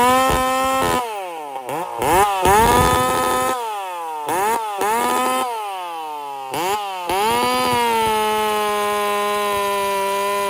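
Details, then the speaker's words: Methanol-fuelled G366 chainsaw build with nitropropane additive, on choke: the engine surges, then holds a high buzzing idle; the idle circuit is running extremely lean. "I had to put the CH p on to get it the idle like this she's running extremely lead on the idle circuit right now"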